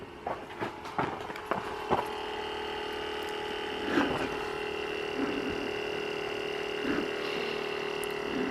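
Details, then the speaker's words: 1989 Chrysler TC by Maserati project car; with the key on and the engine off, a faint steady electrical hum holds constant after a few key clicks, apparently from underneath the engine; source unknown. "I saw know what that humming is it's something underneath the engine"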